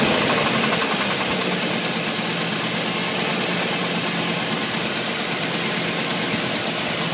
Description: '87 chevy 350 TBI knock under load